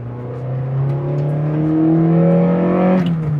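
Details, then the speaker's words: Honda Prelude 4th gen, revived after 15 years stored, exhaust/original manifold sorted: revs rise and fall smoothly with no rattle; earlier it made a tinny rattle around 3000 rpm at inspection, now gone; normal exhaust. "Et puis du coup, là, la voiture marche super bien. Elle fait pas de bruit de casserole parce que je pense qu'on devait l'entendre quand je l'ai emmené au contrôle technique, elle faisait un à 3000 tours, tu sais. Et là, elle marche, et là, elle fait pas de bruit, là."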